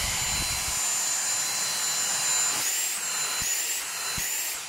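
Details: Dyson V6 cordless vacuum after disassembly, cleaning out blockage and drying the filter: steady airy high whoosh with thin whine, even and strong; running normally with full suction, nothing stuck.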